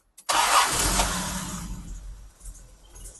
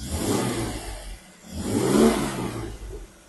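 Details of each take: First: Jaguar E-Type 4.2 Series 2 with three HD8 SU carbs, before tune: engine catches with a burst, then settles into an uneven, stuttery, spluttery stumbling beat that sags while revved; rough running, needs a tune. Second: Jaguar E-Type 4.2 Series 2 with three HD8 SU carbs, after health check and tune: two quick throttle blips rise and fall cleanly back to a gentle purring idle with no stumble or hesitation; clean throttle response.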